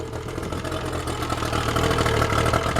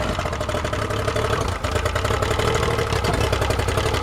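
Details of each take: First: Yamaha outboard running on a water supply, warmed up, after an earlier stall the owner blamed on leftover fogging oil. Smooth, steady, even idle with a low beat and no knocks or misses; runs well, normal idle. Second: Yamaha outboard just started on the water hose, idling with an uneven, lumpy beat for several seconds, then stalling abruptly; the owner thinks fogging oil is still inside, and after a restart and warm-up it idled well.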